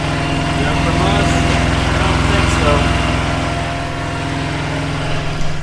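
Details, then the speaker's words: Expedite semi truck diesel idling after service, with thick brake pads and coolant still fine: steady low throb with even, regular firing pulses, no knocks or misses; sounds like it's running all right. "sounds like it's doing good like it's running all right"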